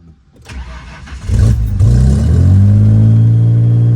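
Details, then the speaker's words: Factory-supercharged 1990 Ford Thunderbird Super Coupe, revived after sitting dead about 3 years, fuel pump changed: engine catches after a short crank and races to a fast steady drone that never settles to normal idle, a high idle. "Nope. Still ripping."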